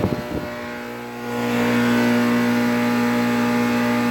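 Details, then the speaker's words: 2008 NuTone dual-zone central air conditioner starting up: thump, then a loud steady low hum and fan roar, vibrating the ground; loud condenser with excessive vibration, cause not confirmed. "unit is unbelievably loud Wow it's also vibrating the whole entire ground I'm not even joking"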